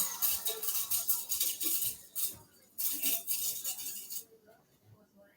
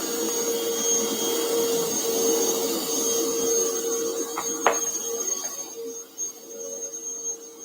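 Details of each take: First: Bissell Powerforce Bagless 6579-2 upright vacuum, first run: uneven, fast hissy rattle about three bursts a second, then drops away; debris suspected inside the motor fan, motor still works. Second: Bissell Powerforce Bagless 6579-2 vacuum, test run before tear-down; owner notes a smell and squeaky handle: steady motor drone with thin high whistle, even until it winds down near the end; runs normally.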